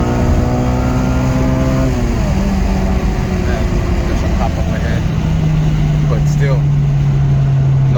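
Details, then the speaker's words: 8th gen Honda Civic Si driving after replacing the VTEC solenoid/spool on back of the head for a P2646 limp-mode code: note drops at the shift, then climbs and hardens under load; VTEC engages cleanly, no check engine light. "Seems like it's working. It seems like it is working. Vtec is cracking, and it's cracking hard."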